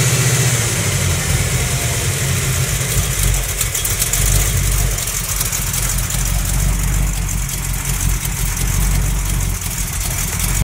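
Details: Small-block Mopar 360 with xe268h cam, KB107 pistons, stock valvetrain, new lifters and main, cam and rod bearings, idling with a dull steady knock tied to engine speed under exhaust rumble; owner says not an exhaust leak, source unknown.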